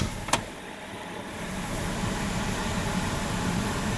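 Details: 2013 Ford Explorer after electric rack and pinion replacement: one click, then an even steady low idle with no knocks, ticks or whine; healthy engine.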